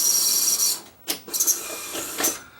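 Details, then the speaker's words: Sony SL-HFR70 Betamax VCR with optional HiFi processor; complaint was an unclear image, with dirty heads suspected. High whirring of motor and loading gear, then clean clicks and short whirs as it threads: a normal, healthy tape transport. "That sounded healthy. Let's just pop the top off it and see if it's dirty heads."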